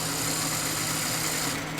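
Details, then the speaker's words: Sony SL-HF400 Betamax VCR (four-motor chassis, combination loading motor with planetary gear power-split device): tape pushed in and inner switch pressed, thin steady loading-motor whir threads the tape, ending in soft clicks; normal tape loading. "push the tape in and then activate the switch and it will thread the tape just like that"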